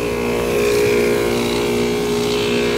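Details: Outdoor air-conditioner unit running at about sixty-odd degrees outside. A loud, steady droning roar with a coarse rattle; owner suspects the compressor.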